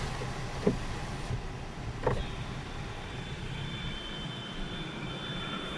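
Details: New Skoda Rapid with the climate blower running: a thin, steady high whistle near the driver's door glass that changes when the window is opened slightly; suspected air leak at the door glass.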